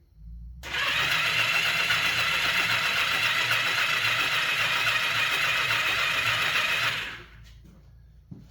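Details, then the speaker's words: 1982 Kawasaki KZ750, sat in a barn for years, plug boots off checking for spark: starter whirs steadily about six seconds with no firing; no spark seen, owner suspects the kill (start-stop) switch may interfere. Cranking, no start. "Well, we did not see any spark. So, well, I took off the grip. I want to make sure that this start-stop is not interfering with our spark situation."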